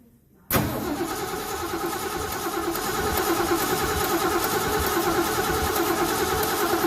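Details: 1970 Mach 1 clone V8 with a Holley 600 carburetor during a carb gasket repair, idling normally but still cold. It catches within half a second and settles into a steady, even idle with no knocks or misses.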